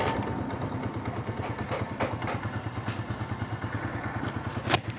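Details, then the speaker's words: CD 70 70cc single idling with a soft, regular low thump and no chain clatter after timing chain replacement; noise now much less and running smooth. "अब इसके अंदर जो sound है वो बिल्कुल ही less है अल्हम्दुलिल्लाह अल्हम्दुलिल्लाह बिल्कुल ही स्मूथ हो चुका है"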